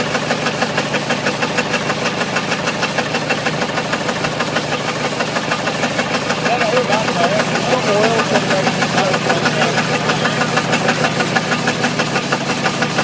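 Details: Ford 351W V8 with a spun rod bearing, abused: heavy, regular knocking about three per second pounds over rough running, with the hiss of coolant spraying from a hose; the rod knocks hard.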